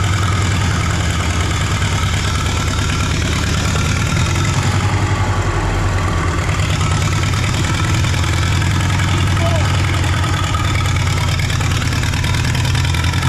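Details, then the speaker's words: 1939 Caterpillar D4 (RD4) D4400 diesel, first start after rebuild via pony motor, near a mile altitude: loud low chug with slight unevenness in the beat; engine has a miss, with fuel leaks also noted. "it moved it runs it moves it's got a Miss in the engine I I know we got some work to do"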